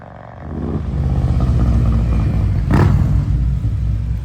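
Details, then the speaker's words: 2024 Harley-Davidson CVO Road Glide, Stage 2 with Cycle Rama CR565 cam and Thundermax tuner, pulling away down the road after warm-up: deep lumpy V-twin rumble builds cleanly, steady and even under load; normal acceleration. "We'll pull it out in the sun in just a few minutes and get some video of it taking off going down the road so you can hear what it sounds like at acceleration."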